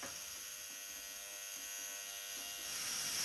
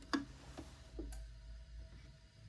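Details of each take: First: Polti Vaporetto 2400 steam cleaner after its solenoid valve was cleaned and rebuilt: fine steady electrical buzz under the steam hiss before steam bursts. The solenoid buzzes when the control valve is nearly closed; the repair otherwise succeeded. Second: Polti Vaporetto 2400 steam cleaner after cleaning and rebuilding its solenoid valve, pressure up in the green; a single dull clunk as the valve opens, then quiet ticking; steaming again, working normally.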